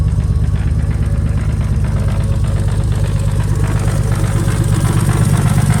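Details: First run of a temporary replacement engine (original block destroyed), fuel pump fuse refitted, logged with HP Tuners: loud, lumpy idle with an uneven low pulse that never settles. The owner suspects a vacuum leak, possibly the plugs; the cause is unconfirmed.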